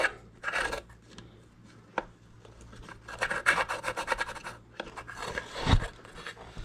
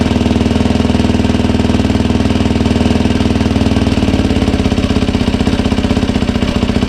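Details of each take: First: 2007 Yamaha YFZ 450 after top and bottom end rebuild, coolant leaking from water pump hose; water pump shaft turned by hand gives uneven, gritty rasping strokes instead of a smooth spin; owner suspects trashed seal, impeller possibly cracked. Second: 2007 Yamaha YFZ 450 after rebuild and new water pump impeller seals and shaft: steady even single-cylinder idle about four firing pulses a second, no misses or knocks; coolant leak fixed.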